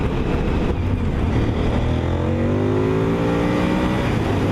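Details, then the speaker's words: Honda VTR1000 SP1 V-twin under hard throttle on the road: a deep, lumpy pulse climbs steadily in pitch, clean and even with no knocks; a healthy engine pulling strongly. "That sound, the instant torque, the race heritage, and a lot of people say it was the last sort of a race homologation proper in terms of world superbikes, British superbikes, etc."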